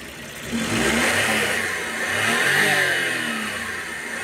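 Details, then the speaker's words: Suzuki Wagon DA64 turbo engine revved after the turbo was refitted, to check whether it is still noisy: revs rise and fall smoothly with a light turbo whistle, no rattle or grinding; turbo healthy. "So baba natin tapos i-rev natin kung maingay pa ba to."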